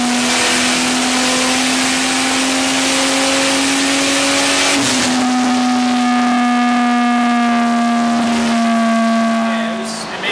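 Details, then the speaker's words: Vortec 4200 DOHC VVT inline-six in a 1983 Ford Fairmont Futura, Microsquirt-tuned, dyno pull: tone climbs slowly then drops at the shift, flat and laggy; mixture still rich, timing unknown, VVT adjustment hoped to wake it up. "okay yeah it's still fat but i also have no idea for like way off on timing or anything it sounds like laggy one time"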